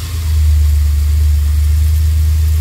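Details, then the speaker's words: 2002 Chevrolet Express 4.3 L V6 at idle with a P0300 code. The scanner shows misfires on cylinders 1 and 4, yet the engine sounds and feels smooth, with a steady, even idle and no audible skips. Misfires increase when accelerating and releasing. "Pero realmente el motor se oye y se siente muy bien. No parece que hubiera misfires."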